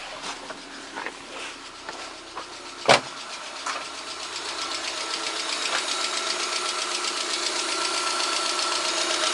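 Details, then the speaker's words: VAZ 2110-12/Priora 124 16-valve engine after head reassembly, warm idle at 63°C: light steady tick from the top end over a hissy hum; knock persists despite oil pressure, cause not found, owner suspects worn camshafts. "В общем, результат не дало. Так, стук и есть. Температура 63."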